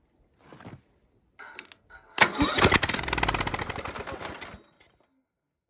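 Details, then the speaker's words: Revived Briggs & Stratton single-cylinder engine, with oil added, a starter fitted and starting fluid down the intake: it cranks, catches and runs a few seconds with an even, steady firing rhythm. It runs in good shape. "well she runs in good shape"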